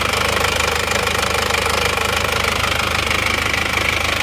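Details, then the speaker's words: Isuzu Panther automatic diesel with severe blow-by, oil-soaked manifold: idles with hard, regular chuffing clatter about two pulses a second, crankcase smoke spurting under pressure from badly damaged cylinder liner. "ini kan kalau dilihat kan asapnya itu memang menyembur ya tidak sekedar uap biasa kalau boleh kan asap biasa tapi ini kan menyembur ini jadi ada tekanannya"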